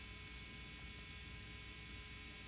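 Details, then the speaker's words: Orange AD140 tube guitar amp, lead-channel mod on first stage: steady low hiss with faint mains hum, no playing; mod adds hiss and dulls high end, noise gone once bypassed. "we're going to bypass this mod you could hear it completely dulls the high end listen for the hiss in the background"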